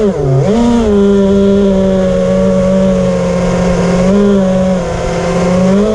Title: finally got to fly dys samjuk motors making weard buzzing sound